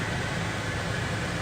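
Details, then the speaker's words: Van (Buster) started by an added thermostat starter at 81 degrees inside, set to cool: steady airy rush over a soft engine hum, no squeal or rattle; AC blower moving air normally. "You can hear the van started. The air conditioner is blowing."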